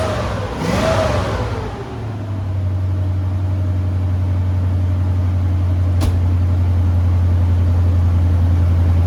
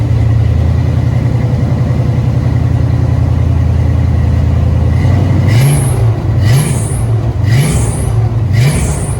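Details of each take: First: 1970 Ford Maverick with EFI-swapped stock 5.0L V8 and new Flow Monster mufflers, no headers, fires with a brief rev then deep even idle, belt squeal gone after tightening with a nut; cold weather. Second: 1970 Ford Maverick EFI-swapped 5.0L V8 with new Flow Monster mufflers: idle then five quick revs each bringing sharp high squeal from loose drive belt slipping; washers added, stud planned to tighten.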